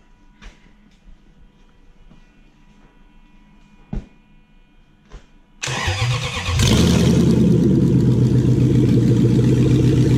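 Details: Toyota UCF20 1UZ-FE VVT-i V8 (shortened version), freshly prepped for a hot rod with cam belt, water pump, front crank seal, thermostat, idlers and some loom connector plugs replaced: quiet clicks, starter spins, fires promptly into a smooth, even idle; healthy start.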